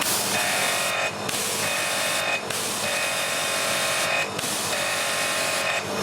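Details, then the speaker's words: Annovi Reverberi pressure washer after repairing a jammed valve, reaching its rated 1000 psi: a steady high pump hiss with brief dips every second or so, no grinding or knocking. Not too noisy, bearings good; normal running. "what is gold now not too noisy bearings are good"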